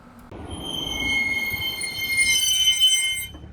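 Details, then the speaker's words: BMW M2 with new Pagid RS29 brake pads: high, steady squeal that lingers only when driving slowly and braking very softly; typical squeak of these aggressive pads. "The sound of the squeak is only when you drive slow and brake very softly."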